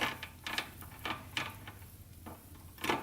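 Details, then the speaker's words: 1985 Honda 200X, engine running and shifting: in fourth gear it tries to grab but won't engage, with scattered clicks and ratcheting scrapes and no solid engagement; it acts as neutral, while fifth clicks in fine. Suspected stripped internal transmission gears. "you can hear it kind of it's trying to grab but it's just not doing it it's almost like the gears in there just like stripped out"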